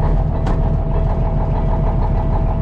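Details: Diesel semi truck at -32°C (-25°F), block heater plugged in, just after a cold start: a deep, steady rumble with an even beat and no misfire or knock. A healthy cold idle.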